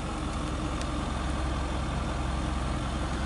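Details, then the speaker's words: 1966 GMC military troop-transport bus being rescued from bushes, expected to need gaskets and hoses. Its old engine runs with a low, steady, even rumble and no knocking or clatter. Normal running. "yeah boy it sounded good though"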